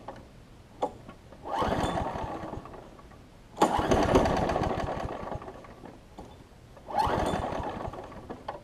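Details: Craftsman 6 hp big-wheel front-drive self-propelled mower after a new pull rope and priming: short sputtering bursts, surging and dying between pulls; it runs rough and rich, suspected carburetor, spark plug or flywheel key.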